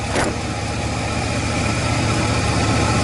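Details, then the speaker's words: 2003 Chevy Astro van with the MAF sensor reading 6.84 g/s: lumpy, uneven idle at about three to four beats per second with a wavering rumble, rough idle, other issues suspected but undetermined. "Okay, well, it runs like crap still, but I tell you, everything in this truck is screwed up."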